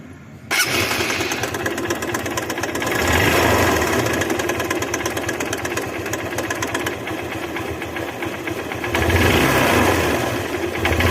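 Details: Motorcycle engine catches and settles to a rough idle with an uneven tapping clatter riding over it; abnormal engine noise, source not confirmed.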